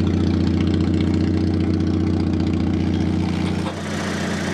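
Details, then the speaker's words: Fiat Panda 4x4, warm, idling with its exhaust pipe refitted: an even low idle with a raspy, puffing edge as exhaust blows out through holes in the rotten pipe; exhaust leak. "You can still hear it blowing though. Yeah. Through the hole. This exhaust is full of nothing but holes."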